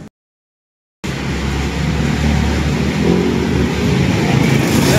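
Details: Honda Beat scooter that would not start, after its carburetor was cleaned (ultrasonic) and reassembled: the small engine catches and settles into a smooth, even beat that builds steadily with throttle, no misses or knocks; now running normally.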